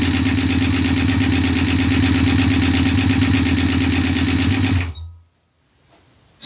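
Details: Honda bobber build, first startup on OEM carburetor: fast even light ticking about three per second over the idle before shutoff; owner thinks valves need adjusting again, cause unconfirmed.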